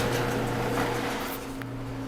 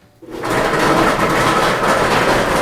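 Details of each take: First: Whirlpool dryer after replacing the broken drum support rollers, drum spun as a test before reassembly: a quiet, even motor hum and steady low drone with no thumping or scraping. Normal, smooth drum rotation. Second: Whirlpool dryer making noise, on starting: a continuous coarse rumble with a rattly clatter. A broken drum support roller is suspected.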